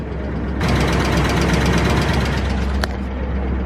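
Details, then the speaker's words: 2006 Maserati Quattroporte, unknown mileage, sat for years, first start on a jump pack: fast light ticking over a lumpy idle, steady with no rev change; likely top-end tick, cause not determined. "here it fires right up there's a little ticking noise coming from it though wait a second what's that noise got a little Tippy tappy"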